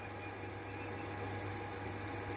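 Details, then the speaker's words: Ham radio receiver on 80/40 m via SDR and end-fed half-wave antenna; constant buzzy hiss over low hum and faint steady whistle that stops when the radio's switch-mode power supply is turned off; power supply interference. "so uh those i have found out um that's the power supply doing that"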